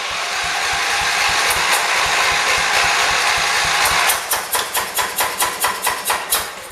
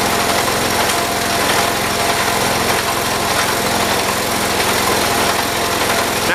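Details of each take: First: 1978 John Deere 208 tractor, just restarted after a head gasket replacement and fixing an air bubble in the fuel line: an uneven, lumpy note surging about twice a second; it runs rough, with the carburetor suspected to be out of adjustment. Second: 1978 John Deere 208 tractor with a single-cylinder engine, after a head gasket replacement and a carburetor adjustment: a steady, even run at raised throttle with no misses or surging; it is now running properly.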